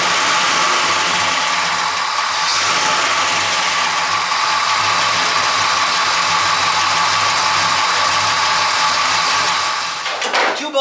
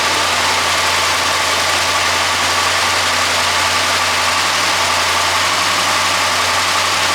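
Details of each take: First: Engine at steady idle: light, irregular popcorn-like rattle ticking about three times a second. The owner checks loose parts, bearings and the timing chain and unnecessarily replaced the water pump; the source isn't confirmed. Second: Engine that had a mysterious popcorn-like rattle, with the water pump replaced unnecessarily during diagnosis. Even, steady idle behind some hiss with no knocks, ticks or rattles: normal idle.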